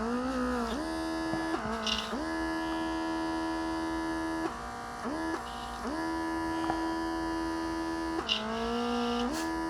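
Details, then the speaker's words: Autolock portable airbrush compressor kit, rated 32 psi, tested with pressure gauge: steady motor hum that dips and recovers; reaches only about 25 psi, output pressure lower than rated. "Nope, not doing, or maybe I'm not doing that wrong. Yeah, I will reach the 25. Not more pressure. It will be the same."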